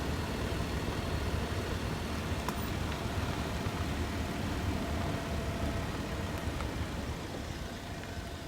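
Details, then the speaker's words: Daihatsu Tanto L375S while driving, after applying Moly Joint Grease to outer CV joints to cure clunking/rattling drive shaft noise: steady road and engine rumble, no knocking or clicking; drive shafts normal. "The strange noise has disappeared!"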